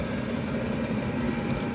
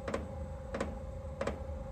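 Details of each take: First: Chinese 12/24 V diesel parking heater on car battery, glow plug switched off after warm-up, full speed, drawing about 1.6–1.8 A: steady even hum with low constant rumble, no surging or misfire; running cleanly. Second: Diesel parking heater on test power supply: crisp ticks about one and a half per second over faint hum as the fuel pump pulses while the supply voltage sags.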